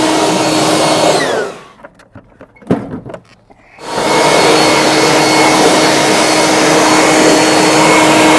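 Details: Off-brand two-speed leaf blower, second unit bought after the first failed, outdoors behind the workshop: strong steady airy roar with constant whine, briefly drops out then returns full and even; normal running.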